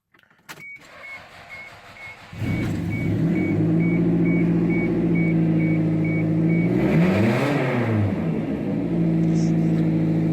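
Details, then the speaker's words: Toyota Celica ST162 after replacing a completely melted timing belt: chime, crank, catch, then steady even idle with one clean rev; engine healthy but exhaust very loud, needing repair. "and running as things should be however I do need to fix the exhaust because as you can hear it is pretty damn loud"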